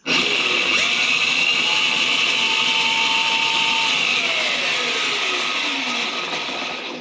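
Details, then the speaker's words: Home-made electric dirt bike, electric motor in a 6-speed gearbox with clutch: high steady whine holds, then slides down as it coasts, nowhere near full rpm, weak in reverse; owner suspects a half-charged battery. "Okay, so something is something is not allowing this thing to go that is that was nowhere near max full speed or full rpm."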